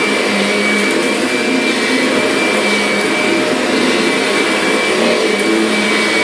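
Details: Kirby Sentria vacuum after impeller replacement, loose carpet having stalled the brush roller: strong even roar with clean steady high whine, no rattles or scraping, running smoothly and healthy.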